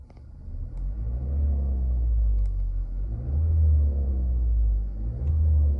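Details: 2017 Nissan Qashqai 1.6 DIG-T: a deep rumble swelling in waves with droning vibration, present only when warm and driving after a few kilometres. Several service visits have not cured it.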